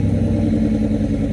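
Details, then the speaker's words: Old scrap car with twin overhead cam V6 from the 1990s, engine worn out: low lumpy idle with uneven loping beat, running on only three cylinders; to be crushed. "they are garbage they were garbage back then the motor's toasted in that thing it's only running on three cylinders"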